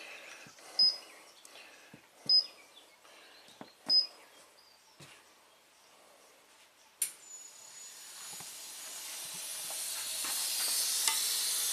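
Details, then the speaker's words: 2006 Nissan Maxima V6 6-speed manual, A/C system charged with 2 lb of refrigerant: short hissy puffs then steady rising hiss up front; huge refrigerant leak from a smashed, bent condenser that needs replacing. "Oh yeah, huge leak up front. It looks like this condenser is smashed in or something."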